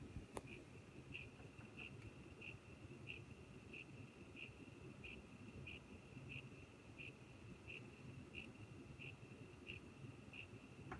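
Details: Corsair CX550M power supply in a newly built computer: a sharp high tick repeating about 1.5 times a second over a low fan hum, described as strange clicking/grinding; power supply clicking noise.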